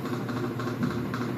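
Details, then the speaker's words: Consul Facilite 11 kg washing machine in spin cycle: steady hum with a rhythmic thump three to four times a second, not a metallic bearing noise. "Esse black, não consigo fazer direitinho não, mas não é aquele barulho de metal, de rolamento, né? Que aí tem que fazer a mecânica. Vocês estão vendo essas batidas, né?"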